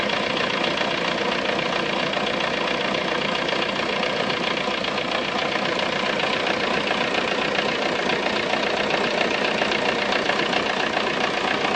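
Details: Tunisian-shop VW Golf 3 diesel with abnormal engine noise at idle: a steady, regular clatter of about three and a half beats a second over the engine drone. The cause is not identified.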